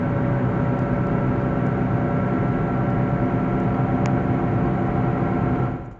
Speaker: the first symptom you'll notice is a sound when you're driving down the road at first it is a barely noticeable humming sound but over time it gets louder and